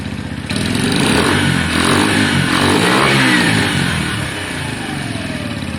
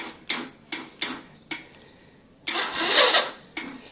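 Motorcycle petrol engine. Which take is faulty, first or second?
second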